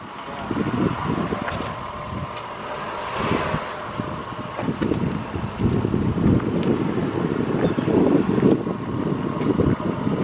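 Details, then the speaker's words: Vehicle after an axle fix, driving under light throttle: road and wind rush rise with speed, with no rhythmic clicking from the axle and no rubbing; before the fix, the axle clicked when pulling forward. "It doesn't even rub."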